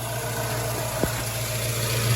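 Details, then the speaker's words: 1972 Ford Mustang convertible V8 with tubular headers and EFI at steady idle: low rumble with only a faint normal header tick and injector ticking; no exhaust leak found at collector. "Now with headers, you're going to have a little bit of a tick anyway, because they're tubular, they're not cast iron, they're not insulated."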